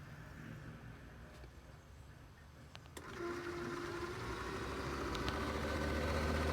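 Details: 2005 Nissan 350Z 3.5 V6, radiator cooling fan commanded on via bi-directional scan tool, causing poor A/C cooling: faint whir builds slowly with low hum, fan rotating very slowly then stopping; failing cooling fan motor, replaced with Mishimoto upgrade.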